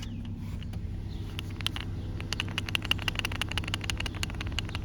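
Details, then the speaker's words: Worn tensioner pulley removed from a 2004-2008 Ford Focus, spun by hand beside an idling engine: a loose, uneven clicking rattle about three times a second as the pulley bounces inside; the pulley was replaced. "yeah, you can hear that rattle. See how that's bouncing around in there? Yeah, that's an accident waiting to happen."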